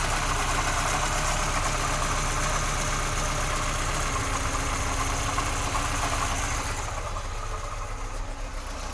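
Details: VAZ 2106 at idle, timing chain just replaced and tensioned: sharp regular tapping about four per second; owner thinks it resembles bearing-shell knock, but pulling the HT leads doesn't change it; knock of unknown origin.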